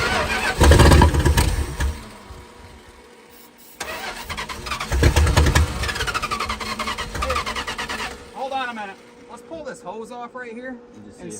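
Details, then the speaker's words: 1968 Plymouth Fury 318 V8 with one-barrel carb, barn-stored for decades, fed from a temporary fuel cell: starter cranks in steady bursts twice but never fires; probably not drawing fuel yet, old fuel filter suspected but found not clogged. "probably didn't suck fuel up yet"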